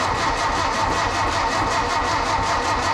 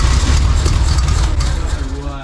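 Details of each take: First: So what's happened is that we have to take the distributor drive out of here and spin it around 180 degrees so it works. So it didn't work, but now we know. It did make a popping sound, but not the right popping sound. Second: 1952 VW barn door ambulance with a 25hp air-cooled motor, on first start with fuel poured in by hand. It fires straight away with a steady low beat, then fades as that fuel runs out. Sounds cute.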